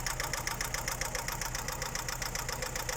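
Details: Daewoo Nexia petrol engine running with a steady fast ticking knock, roughly 3–4 per second; origin of the knock unknown.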